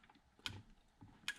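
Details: TVR Tuscan pedal box during refit, 20-year-old plastic parts, drained dry of fluid; two crisp clicks a second apart in a quiet room as the pedal moves; the pedal micro switch makes and breaks cleanly, normal.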